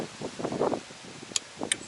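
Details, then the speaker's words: Relay bench-tested on a Toyota 4A-FE crank-no-start car, coil pins powered from a jumper pack: two sharp, clean clicks as the coil energises and releases; relay switching normally. "you hear that click. That's a really good indicator that the relay is functioning as it's supposed to."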